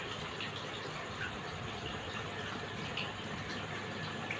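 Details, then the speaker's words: Air cooler water pump after cleaning out heavy mud and refitting: even rushing splash of water lifting steadily up, no grinding, rattle or dry whine; pump flow restored to normal. "पानी आना ऊपर शुरू हो गया।"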